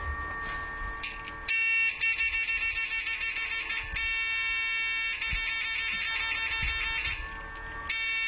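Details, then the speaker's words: Fish shocker inverter (2-watt Minion) tested at frequency 0 with a 500 load, buzzer reattached, sounding fairly loud again. Loud high-pitched buzz chattering in quick bursts with short gaps: normal buzzer tone. "Beda kan? Kalau kita pasang ya suaranya lumayan keras."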